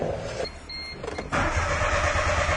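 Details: 1996 or 1997 Geo Metro three-cylinder, cranking no start, pedal makes no difference: starter churns engine over steadily but it never fires; crank no start traced to a blown fuel injection fuse.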